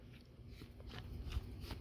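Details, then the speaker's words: Simplicity Champion mower idler pulley, removed and turned by hand: faint, gritty crunching; worn, rusty idler bearing, being replaced. "And and this is all the noisemaker right here. I mean, you can kind of even hear"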